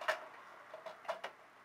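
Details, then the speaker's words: Regulator clock after calendar hand repair: a few crisp, light, evenly spaced ticks in a quiet room; escapement ticking normally again. "we go there's the regulator ticking again so call this a wrap guys"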